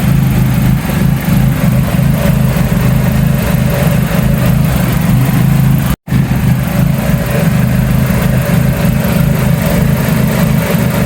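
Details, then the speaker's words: Toyota KE70 idling after failing to start from a battery drain (battery read 11.2 V), with a sometimes sticking throttle pedal. Uneven, loosely repeating knock about three per second over the engine hum. The owner is unsure whether it is a con-rod or steering noise and won't drive it. "Tak tahulah bunyi kondol ke bunyi ptering ke apa nak bawa jalan tak boleh."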